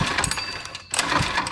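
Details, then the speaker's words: Monster Moto four-stroke mini bike, bought to get running, pull-started for a compression test: short bursts of cranking with chuffing compression strokes and pauses between pulls. The gauge reads 85–90 psi, which is healthy. "85 90 PSI compression that is not bad at all for a uh four stroke"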